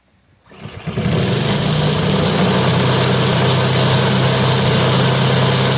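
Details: Cub Cadet ST524 two-stage snow blower after clearing ice from behind the impeller that stalled it on auger engagement: catches within a second and settles into a steady, even run; sounds healthy.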